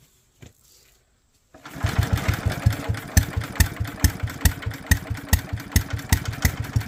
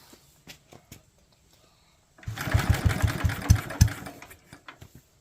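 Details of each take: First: Small single-cylinder Locke mower engine with no leaks and a dry bowl, spark confirmed: it catches after a brief crank and settles into a steady, even putter around two beats a second; normal running. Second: Locke mower cranked after checking the bowl stayed dry with no leaks and confirming spark: a few faint ticks, then about two seconds of uneven popping chugs that die away; trying to fire but won't keep running.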